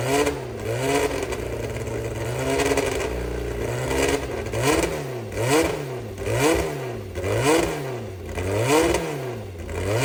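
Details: Brabham BT21 historic one-litre F3 race engine, first cold fire-up after rebuild (new crank, balanced conrods, new sump): fires and blipped repeatedly, revs rising and falling cleanly, no knocks or rattles; oil pressure good, normal start and run.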